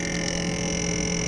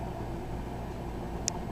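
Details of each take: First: Frigidaire FRS23W3AW1 refrigerator, owned since 2005, on its second fan motor: constant buzzing drone with a high whistle and rough flutter as the freezer evaporator fan blade hits built-up ice, which can stall the fan completely. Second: Frigidaire FRS23W3AW1 refrigerator evaporator fan reinstalled after thawing off ice buildup: a soft, steady low hum with a couple of faint clicks and no scraping or ticking; the freezer fan runs normally.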